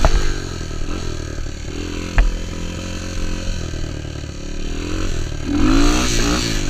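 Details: Honda XR200 single on its first test ride after a full transmission rebuild and other new parts: pulls cleanly through light revving with an even, steady beat, no knocks or rattles; sounds healthy, rider says everything felt smooth.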